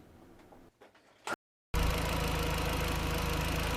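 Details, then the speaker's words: Audi TT 1.8T after replacing the rocker cover gasket and leaking half-moon gasket for an oil leak: brief handling noise, then the engine catches and settles to a steady, even idle with no ticking or misfire, no leaks. Normal idle. "so it's all started up now all sounds good all looks dry"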